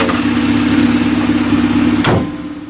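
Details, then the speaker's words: 1995 Honda Civic 1.5L after fast idle thermal valve adjustment and coolant bleeding: steady even idle, no hunting or surging, much better than earlier; normal idle. "Yeah, it sounds good now. It's much better than it was earlier today."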